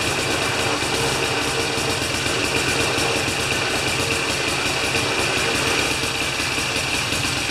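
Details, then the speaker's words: Older Briggs & Stratton mower after a half-turn adjustment: steady, even small-engine drone with rapid uniform firing beat and no misses or knocks; normal running. "[Music] all right that's great it's a good start"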